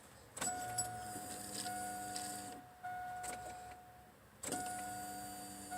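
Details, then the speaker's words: 2002 Chevrolet Avalanche after fuel pump replacement, key cycled two to three times to prime: steady electric hum for a second or two, then cutoff, repeating with each key cycle; new fuel pump primes normally, no-start was the failed pump. "Sounds good to me. I cycled it two to three times so that it can fuel up fill up."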